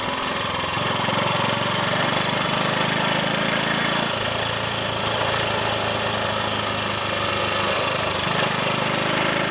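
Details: Triumph Sports Cub single-cylinder on the road with wind noise, after cleaning fine rust from the fuel tank (had reached the main jet) and fitting a protruded-electrode plug: steady even beat, no misses or cut-outs; slight 1/2–3/4-throttle hesitation, owner suspects carb-needle crud.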